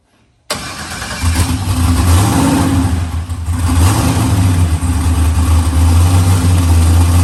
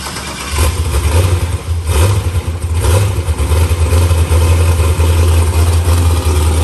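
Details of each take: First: New LS-swapped forced-induction Mustang (TKM V8, Holley intake) on first start: fires and settles into a lumpy idle with irregular stumbles; a slight misfire blamed on the untuned fuel map, with changes being made to fix it. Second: New LS-swapped forced-induction Mustang (TKM V8, Holley intake), tune still in progress: deep, heavy V8 rumble with several throttle blips that rise and settle back cleanly; running strong.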